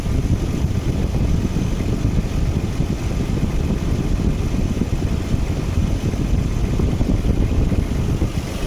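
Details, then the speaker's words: 1995 Nissan D21 Hardbody VG30E V6 after the AAC/IAC valve air feed was bypassed with the elbow removed and blocked: deep, even idle with no hunting; previous surging between 1,000 and 2,000 rpm is gone. "So now no more idle issue. It's idling nice and smooth now."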